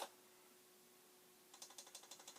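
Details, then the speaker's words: Commodore 1520 printer plotter, second unit, no pens fitted, powered on: after near silence, sharp rapid clicks about ten per second as the pen-change mechanism keeps trying to swap pens; cause unknown. "when it's trying to do the thing that would swap the pens around and do all that stuff."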